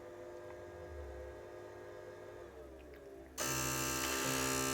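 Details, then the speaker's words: Kaleidescape DV700 with Error 69 after crimp-connector wiring repair, powered on in raised position: faint hum then sudden loud steady buzz as it resets immediately, one of the other motors straining to spin. "there it is resets immediately that buzzing noise you hear that's one of the other Motors trying to spin away"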